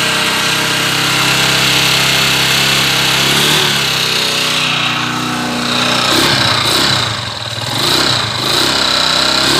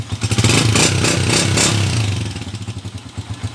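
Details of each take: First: Honda TMX 155 motorcycle stored over a year for a noisy engine, before repair: loud metallic clatter and a steady knock about four times a second from a worn connecting rod. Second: Honda TMX 155 single-cylinder motorcycle, stored over a year with a noisy engine, after the clutch-side (panggilid) conversion: revs briefly, then settles into a steady, very smooth idle.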